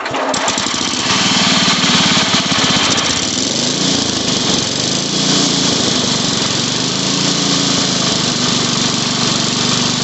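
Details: Old Sears Craftsman Suburban 12 hp tractor engine during carburetor adjustment, choked and throttle up, bottom mixture screw being turned counterclockwise to enrich: loud running with wavering pitch surging up and down instead of settling. Lean running.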